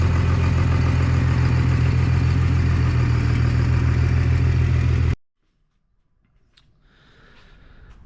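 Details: 1998 Dodge Ram 2nd-gen Cummins diesel, first run after the owner fixed his problems, on temporary power and no coolant: deep, even idle clatter, smooth and regular for five seconds before shutdown, oil pressure and charging; normal idle.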